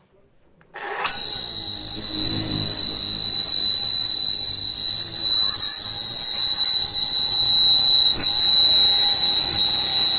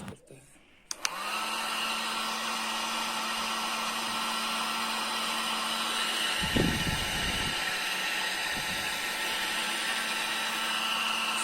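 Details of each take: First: 1000 W foldable hair dryer switched on: a piercing steady whistle near 4 kHz, painfully loud. Attributed to a dry, rusty motor bearing squealing. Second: Foldable 1000 W hair dryer after repair of its noise problem: it switches on and settles into a smooth, steady hum and airy rush with no whistle, back to its original normal sound.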